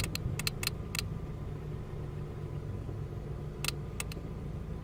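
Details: 2003 Ford Focus ZX3 at idle: sharp, irregular electrical ticking in short bursts, with headlights flashing in sync. Disconnecting the battery clears it for 40–60 miles. Alternator, battery, cables, fuses, relays and belts were replaced without a fix; cause unknown.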